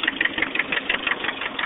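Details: 1989 Nissan 240SX KA24E engine, head recently rebuilt after overheating: sharp regular ticking knock, roughly eight per second, over a thin idle; owner unsure whether rod knock or lifters needing bleeding.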